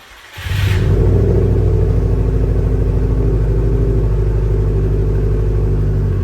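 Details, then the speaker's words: Subaru STI: catches and settles into a steady idle with a regular tapping at about three per second over the rumble. The power steering pump is suspected; belt removal is planned to test it. "I'm gonna go ahead and take this belt off right here to see if it is the power steering pump, because that knocking noise sounds like it's coming from right here."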